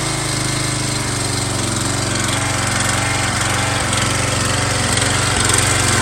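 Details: MTD Yard Bug riding mower abandoned for years at a boat storage yard, first start after a spark check and fresh gas: single-cylinder engine chugs at a steady, even idle with a regular thump and no knocks, running fine.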